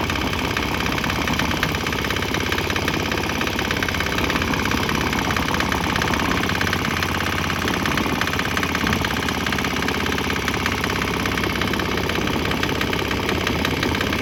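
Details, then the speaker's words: Swan X 165F Chinese single-cylinder diesel on crate mount, running used canola fryer oil: steady even thump about three beats a second; slight tempo and exhaust change noted, maybe while transitioning to canola; normal running. "Notice a little change in tempo there. like the exhaust has changed flavors a little bit."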